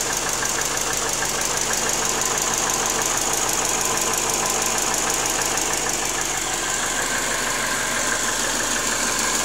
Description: Subaru Forester SF5 T/tb '97. Стук 4-го цилиндра на непрогретом моторе.